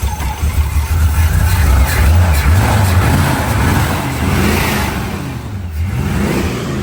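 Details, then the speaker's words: V8 with a junkyard Holley 600 CFM vacuum-secondary carburetor during basic tuning, setting adjusted: rumble with revs swelling slowly and softly instead of snapping up; sluggish throttle response, accelerator pump suspected. "yeah sounds like it's like a little [Music] lazy could be our accelerator pump maybe"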